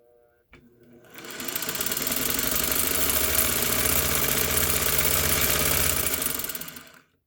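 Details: 1956 Singer 301A slant-needle sewing machine, unthreaded, run by its foot pedal operated by finger: motor whirs up to a smooth, fast, even hum, holds, then winds down cleanly. Motor healthy.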